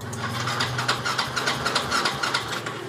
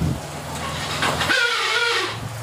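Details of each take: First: Xeon scooter after the noisy starter motor was taken apart and found dry: steady, even cranking at about 3.5 turns a second with no harsh grinding. Starter now normal; the no-start was just an empty fuel tank. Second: Yamaha Xeon scooter, won't start on kick: harsh rasping whir with wavering tone while starter spins without catching; suspected dry starter dynamo, dismantled and refitted, after which starter ran normally.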